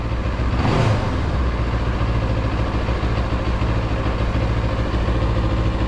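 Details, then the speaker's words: Motorcycle idling after silicone added to the TFT dash cowl bracket, screws only finger-tight: steady smooth hum, no rattle or buzz; cowl still visibly vibrates but is far quieter than before. "can barely hear any noise out of it much better still vibrate see that the design still vibrates but it's not as no e it doesn't sound anything like before"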